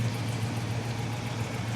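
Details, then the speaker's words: Classic Plymouth Barracuda convertible V8 bought from a salvage auction, with a new oil filter: warm idle with a deep, even burble, no knocks or misses; runs smoothly. "Listen to this thing pur though."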